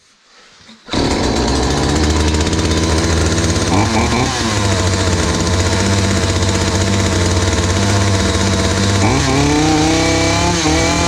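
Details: Hyundai 450 chainsaw after carburetor diaphragm replacement (previously dropped back under throttle and stalled while cutting): fires at once, settles into a steady buzzing run, then revs up twice and back cleanly without stumbling or dying.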